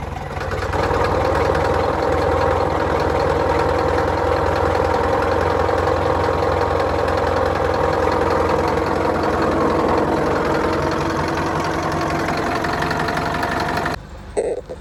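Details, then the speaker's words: Warm John Deere 2010 diesel idling with a dull, irregular knock about three or four times a second until shutdown. The knock persists after work on it; the owner plans to order a new rocker cover gasket. "Okay, even though it's around there, I can still hear a knock coming out of it. That's annoying, but I'm not touching it again today."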